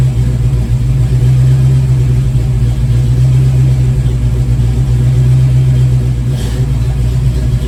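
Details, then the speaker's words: 1987 GT with crank no-start when warm, after throttle blade adjustment: deep steady idle holding on its own without throttle, only a faint rise and fall; surge much reduced, owner not yet convinced it is fixed. "okay so definitely running on its own um not taking multiple attempts to start it not needing to give it any gas not having a lot of idle surge"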